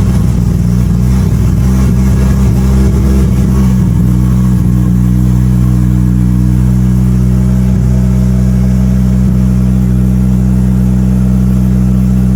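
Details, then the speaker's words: Mitsubishi Evo, engine cold, fuel pressure zero, first start of the day after both fuel pumps installed as the intended fix: fires straight up into a steady, even, smooth low-rumble idle with no knocks or misses; normal healthy cold start. "Engine is cold. Fuel pressure zero and fire it up for the first time today."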